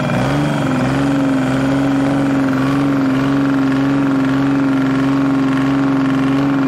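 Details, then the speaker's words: Detroit Diesel three-cylinder on a dragline crane abandoned 20+ years, just started after draining water from the fuel filter: even, steady diesel beat with a firm low tone and no misfire or knock; all three cylinders firing, normal idle. "he sounds good he sounds real good [Music] uh to me it sounds good i don't know oh yeah it doesn't sound bad at all it's hitting on all three"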